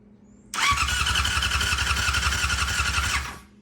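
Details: 1999 Yamaha R6 non-runner cranking with scope on the pickup coil, about 1 volt peak to peak so pickup works; steady whirring crank about three seconds, no firing; crank no start, CDI suspected bad.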